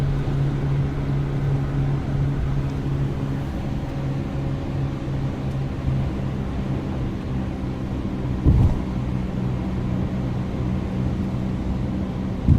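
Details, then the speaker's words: Subaru Outback on the highway at about 80 mph: a steady, loud, low buzzing drone over the road roar. It is not from the jersey barrier, and the mechanic says it is not the tyres (rear tyres are used). The source is unknown. "now I used to think it was the noise coming off the jersey barrier but it's not like when I'm on the highway doing 80 miles an hour it's loud"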